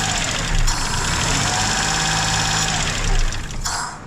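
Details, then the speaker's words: Duet after throttle work, engine cooled down: fast even idle that never drops to normal; owner suspects an air leak, unconfirmed; closing the idle air valve stalls it. "Ну что он остыл блин всё равно высокие обороты где-то он тянет воздух капец"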